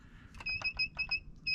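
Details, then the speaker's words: Johnson 99-06K rotary laser level just switched on and unlocked: rapid high-pitched double beeps repeat in bursts, the out-of-level alarm sounding while the internal laser self-levels. "you hear it doesn't like that. It's knocking it out of level, but what that's doing is that's allowing the laser itself inside of there to automatically level itself."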